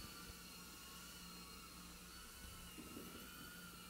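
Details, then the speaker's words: URUAV UR65 micro brushless drone, armed in stabilized mode with motor stop on, lifting off and hovering indoors; a high, even motor and prop whine at steady pitch, with no roughness or rattle. Normal motor running. "it's armed and it does have motor stop on so the motors aren't gonna turn till I get some throttle there we go and she's up"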